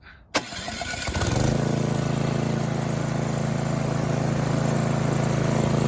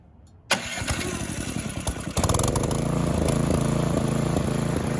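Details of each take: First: Snowblower small engine on electric start with choke on: starter cranks briefly, then the engine catches and settles into a steady low putter, but it runs only on full choke; clogged carburetor emulsion tube, full carb clean needed. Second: Snowthrower engine after a carburetor cleaning, still cold, started on full choke with the electric starter: it catches at once and runs with a mild rhythmic rise and fall in speed, slight hunting that smooths out once the impellers are loaded; otherwise healthy.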